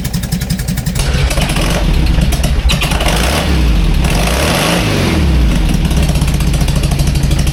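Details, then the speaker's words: 57-year-old air-cooled VW bus, flat-four after the exhaust tailpipe snapped off: deep, lumpy, loud and raw burble that blips up and settles back with the exhaust open, later fixed with a stainless Vintage Speed exhaust. "The exhaust has come off. Now, it may not seem a lot, but what I'll do is I'll put a clip here of what it sounded like before this fell off and what it sounds like now."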